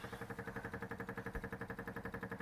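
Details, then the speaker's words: MGB GT on stands, engine off, exhaust disconnected: quick steady ticking about nine times a second that never stops as the fuel pump runs continuously. A petrol leak is suspected, source not yet found. "the fuel pump going like mad and we've got paper all over the place trying to let's see if we can work out where it might be leaking from"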